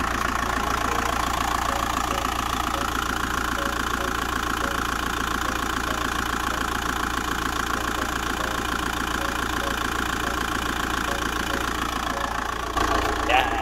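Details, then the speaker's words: Van engine after replacing a cracked crank pulley, belts and tensioner: steady, even idle with a smooth regular beat and no squeal or knock; normal idle after repair. "well i mean the tensioner as well so lovely happy days fixed sounding lovely"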